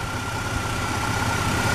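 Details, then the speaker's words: Chevy Blazer after oil catch can install on PCV line, owner suspects small head gasket leak causing moisture and rough starts: steady, even idle with smooth low rumble and faint constant hum, less shake than before; normal idle. "this was moving a lot now it needs less so that's how I know the engine will shakes a little bit less now and it runs really smooth and a lot smoother than it was before"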